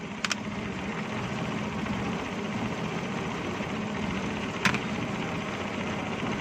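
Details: Suzuki Bolan/Ravi idling on gas after ignition timing was set with a timing light: steady, even idle with a smooth, regular firing beat and no misses or pinging; the engine runs right.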